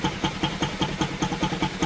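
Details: NS single-cylinder motorcycle after carburettor cleaning, started on petrol poured in by hand with the tank still off: even idle with steady puffs about five a second, no stumbles or misfires, the carb now feeding properly.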